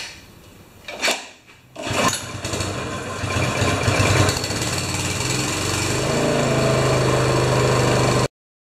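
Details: Honda-powered wheelbarrow air compressor, sat for years, after throttle cable and adjustments, started on choke: catches after a couple of pulls, revs up, then throttle drops back to a steady, even idle; running normally.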